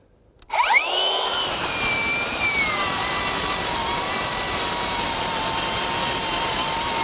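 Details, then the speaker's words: Metabo HPT MultiVolt C3607DWA 36V 7-1/4" rear-handle circular saw on battery, repeated heavy cuts through a thick stack: high whine dips slightly as rpm comes down under load, then holds without bogging; normal cutting. "you can hear the saw bogging slightly and I wouldn't say bogging but you can hear the RPMs come down a little bit let's just keep her going and see what happens"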